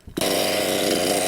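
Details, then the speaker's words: Nitro RC engine, needle two turns out from base setting: bursts into a loud high-pitched buzz and holds briefly; catches because mixture is too rich, not a fault, only the setting. "straight away start look at the exhaust oh and she caught because she's too rich so if this happens it doesn't mean anything is wrong with your car your setting is just wrong"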